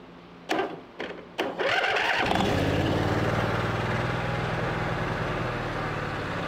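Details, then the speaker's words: Free twin-cylinder riding lawn mower, plugs reinstalled, starting fluid used after unprimed attempt failed: three short cranking bursts, then catches and runs steadily, slightly rough, with smoke and water in a valve cover; starts only on starting fluid. "all right starts and runs all right started it ran it turned off with a switch"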